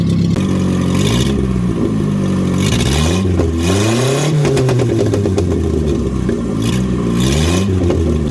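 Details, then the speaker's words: Datsun 521 with Toyota 2TC engine and new Weber carburetor, warmed up, no exhaust fitted: loud open-pipe blips rising and falling cleanly, no knocks or stumbles; healthy free revving. "uh I'm gonna give it a little couple revs you know just baby stuff just so you guys can hear the engine if you guys you guys are curious although it doesn't have an exhaust so this won't be what it sounds like when it's finally done"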